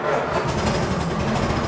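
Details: 1926 Ford Model T four-cylinder started with buzz coils, a little choke and the floor starter: the engine catches and settles straight into a steady rapid chuff over a low rumble, starting readily and running normally.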